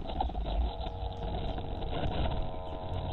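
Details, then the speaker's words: Pan-tilt servos on a stereoscopic camera head, driven by an astable multivibrator PWM circuit with joystick potentiometers: buzzy, gritty whine wavering and chattering as servos twitch; jumpy circuit signal making the servos grind. "so you can hear the servos grinding the circuit's a little bit jumpy"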